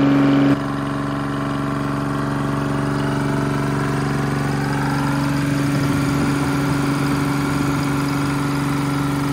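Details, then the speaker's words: Detroit Diesel three-cylinder on an old dragline crane abandoned in the woods 20+ years, idling just after its first start: even, steady thrum with a smooth low pulse and no misses or knocks; all three cylinders firing cleanly, normal idle. "uh to me it sounds good i don't know oh yeah it doesn't sound bad at all it's hitting on all three"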